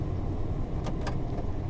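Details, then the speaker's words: Older truck with a 4.3 L Vortec, a donation vehicle that runs without leaks, shifting from four-wheel-drive high back to two-wheel drive at idle: two quick, clean clicks as the transfer case shifts over; normal engagement. "Two-wheel drive. You can hear it click over."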